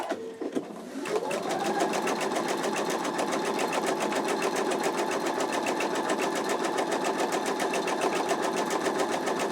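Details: Embroidery machine stitching the placement stitch of an in-the-hoop wallet design: quick, even needle clatter at about three and a half stitches a second at a steady pace; stitching normally.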